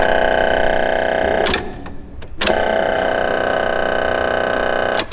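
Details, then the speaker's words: Nissan-engined Mazda Miata engine swap, first key-on with no engine running: steady raspy electrical buzz with two brief dropouts from the boost controller solenoid valve chattering back and forth; cause unknown, quieted by unplugging it. "All right, so that crazy buzzing noise was the boost controller going like, so it's like a valve. And I think the valve was just going back and forth."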